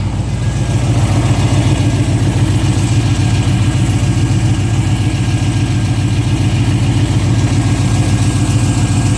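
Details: 2005 Pontiac GTO V8 at steady idle with a fast, regular light tick over the deep rumble; owner unsure whether lifter tick or exhaust leak.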